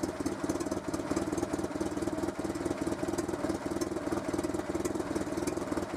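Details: Renault Super 5 idling after head gasket replacement: soft, even idle pulse with no knocking, ticking or misfire; engine healthy.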